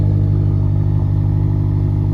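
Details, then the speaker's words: BMW X5M V8 at idle after the exhaust flaps were opened, heard from inside with the door open; deep even rumble, no clatter or rattle, deeper than before; normal exhaust idle. "So yeah, it sounds better. Sounds like it should. And again, it's a lot deeper sound and no rattling."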